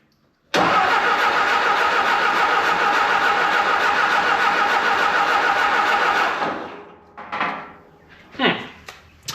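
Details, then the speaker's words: 1950s–60s "doodle bug", possibly a former golf-course or highway mower, with a freshly cleaned carburetor, plenty of fuel and some compression. About six seconds of even cranking at roughly three to four beats a second that never catches; no spark, apparently with no power reaching the coil. "Obviously getting a lot of fuel. We don't have spark today."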